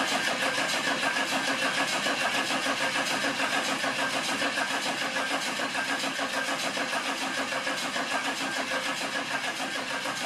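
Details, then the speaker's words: Suburban diesel with newly installed turbo first start after glow plugs; engine catches and settles into an even, steady idle with turbo spinning, no misses, knocks or rattles, clean healthy start, fine-tuning still needed. "so anyway you heard me fire it up turbo spinning got a little fine-tuning to do in the next episode"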